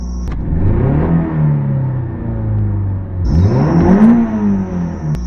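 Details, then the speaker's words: 1985 Toyota MR2 petrol engine after fixing a cylinder misfire: it revs cleanly twice from a slightly high idle, with smooth acceleration and no hesitation or misfire. "that's way better and you don't hear the the kind of uh hesitation or misfire I guess the sound is very very smooth"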